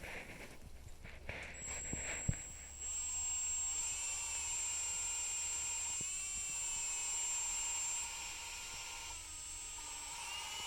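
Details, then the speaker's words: Drill-driven valve lapping on an LS-swapped AWD WRX cylinder head: a steady drill whine over a gritty hiss as the compound cuts the valve seat, then the grinding fades as the compound is pushed out; exhaust valves were crusty. "So it might be hard to hear since I'm using a drill, but you can hear it grind, and then you can hear the grinding kind of fade away,"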